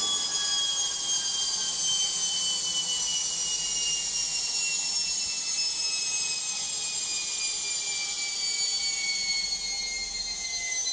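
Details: Logik washing machine on spin: a loud, high, shrill multi-tone whine slides steadily lower as the drum slows; noisy spin, cause unclear.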